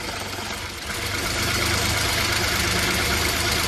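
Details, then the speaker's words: Ford EcoSport 1.5 manual, cold idle: fast fairly even rattle, about three or four per second, that stops when the clutch pedal is pressed and returns on release; clutch release-side rattle suspected, not confirmed. "Está raro, ¿verdad? complicado porque se quita cuando pisamos el embrague, se vuelve cuando soltamos"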